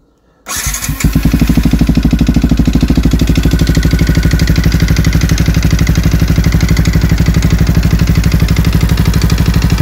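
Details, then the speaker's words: Yamaha WR 125 single, valves set to exhaust 0.20 mm and intake 0.10 mm, compression under 4 bar, fresh oil: hard, even knock about three per second at idle persists; owner suspects worn crankshaft bearings. "jak klepał tak sklepie ani regulacja zaworów ani wymiana oleju nic niestety nie pomogło tu na wale nie ma panewek tylko są niestety łożyska i prawdopodobnie są już wywalone"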